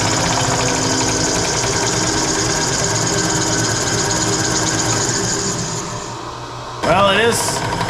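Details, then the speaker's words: 20" Clausing drill press in low speed after new upper bearings: the top is quieter, but a constant rubbing sound comes from the rear. Suspected belt rubbing near the back pulley, not the motor bearing. "slightly quieter sounds like there's a lot of rubbing back here well at least up here doesn't sound like a bag of hammers anymore"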